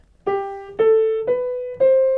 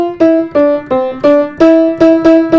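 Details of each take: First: Fully restored Bösendorfer grand piano, 170 cm long: four clean notes stepping upward, each ringing evenly with full rich tone, no buzz or rattle, rich bass; normal even tone. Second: Upright school piano in storage: repeated mid-range notes sound thin, lacking body, short dull decay; bass also thin; poor mid-tone that can't be fixed.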